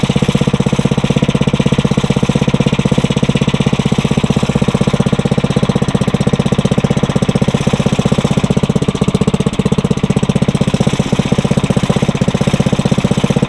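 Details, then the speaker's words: Briggs & Stratton 900 series engine, used about 2 hours a year, oil unchanged for a long time, cold start on choke after cold nights, started on first pull; steady, even chug around 160 firings a minute, no knocks or misses. Normal cold start and idle. "That's actually a first to have that thing start up on the first pull. It must have been from when I was testing it, to make sure it wasn't locked up."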